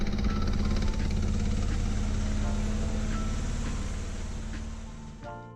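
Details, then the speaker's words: Peugeot 205 GTI restoration engine running: uneven lumpy note with irregular pulses about four a second, sounds unhappy; rough running, cause not yet found. "But going back to the engine, as you can hear, it just does not sound happy at all and it wouldn't make sense to go any further without talking this fast."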